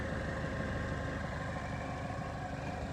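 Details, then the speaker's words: Chevrolet Equinox. Warm idle after a drive, hood up, no leaks: low, even, smooth and quiet hum with steady firing, no knocks, ticks or misses. Normal warm idle. "But she's running good. Smooth and quiet. Plenty of power."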